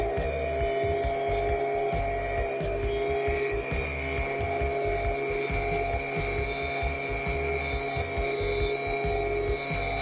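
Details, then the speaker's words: Stihl BG86 handheld blower that wouldn't rev up, after carbon was cleaned off and before carb adjustment; high buzzy two-stroke whine held steady and revving freely, sounding much better. "Now we're You can hear it. I can feel it. That's already sounding a ton better."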